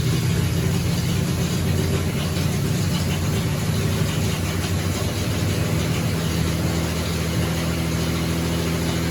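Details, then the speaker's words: 1975 Triumph TR6 six-cylinder after rebuild and camshaft re-degreed, on the stand at about 85–86 °C with thermostat open, charging 14.2 V, oil pressure 90 psi; deep, even burble with no tapping or knocking; normal running. "Alright, so sounds good. The alternator is charging 14.2, we just measured."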